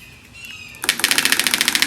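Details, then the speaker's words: VW Beetle engine, body removed, temporarily hooked up with external gas tank, electric fuel pump and starter switch, battery weak: rapid even ticking about eight to nine clicks a second as the electric fuel pump runs and pulls fuel, engine not firing. "Fuel pump's working. Sounds like it's pulling it."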